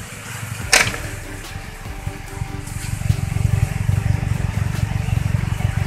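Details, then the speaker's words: Suzuki Carry petrol engine after carburetor repair kit (enrichment valve diaphragm), points and spark plug gap adjusted for heavy fuel use, after test drive: small engine settles to a steady, even putter at idle, no misses; normal idle. "Nah sekarang mesin kita hidupkan kita coba gimana kondisinya"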